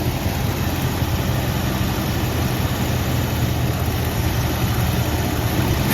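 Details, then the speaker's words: 1973 Ford F100 with 302 Windsor V8, 3-speed column manual, parked 16 years, first start with no coolant: fast, steady idle well above normal that rises near the end and hangs up; blipping the throttle brings it down, a sticking spot suspected. "like a sticking spot it wants to isle up real high and if you if you blip the crawl it goes back but it kind of hangs up"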